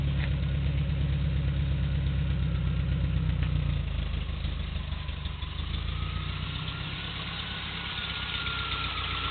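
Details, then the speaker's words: 1980 Triumph TR7 fuel-injected overhead-cam engine with solid lifters, rebuilt 2015, about 20,000 miles since, restarted after an hour off; smooth low idle with faint quick top-end ticking, no smoke; normal idle with light valve tick. "a tiny bit of lifter noise, but it's a solid lifter engine, overhead camshaft, so they're never dead quiet."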